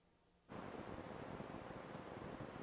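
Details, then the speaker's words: Universal Audio Apollo X6 with Sennheiser MK 600 microphone on the interface's phantom power: silence, then steady loud hiss with a digital flavor, about 10 dB above battery power; bad PGA preamp chips, two ICs needing replacement. "so you can hear this very distinctive noise that comes from this uh microphone when it's Phantom powered if I remove the phantom power the noise goes away it becomes actually 10 DB lower and it doesn't have this digital flavor"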